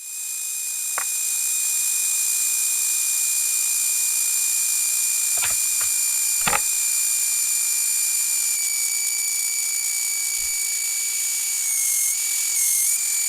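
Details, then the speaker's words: Xbox power supply whose frequency shifts when its ground or earth is touched: steady piercing whine with a fainter higher tone, sliding down slightly, caused by subharmonic oscillation below the switching frequency. "This isn't happening just at the switching frequency. What we're getting is called subharmonic oscillation. And that's what's making this thing act like a theramin."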